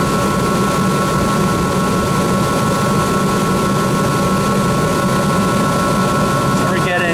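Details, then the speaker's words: Rheem 8-ton AC unit after the blower belt was replaced: steady, even blower roar with a smooth hum, no squeal, rumble or knocking; motor and bearings good, normal blower running. "that's fine it looks good everything sounds good the motor is good"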